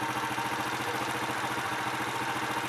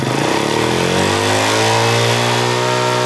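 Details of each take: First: Honda Astrea Impressa motorcycle (same engine type as Grand/Supra/C100), hot engine after repair of noise that appeared when warm: even, steady idle pulses, clean exhaust beat, no ticking; healthy. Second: Honda Astrea Impressa motorcycle (same engine type as Grand/Supra 110, C100), quiet when cold but noisy when hot: fast light ticking appears once the engine reaches about 60 degrees, rising and falling with revs.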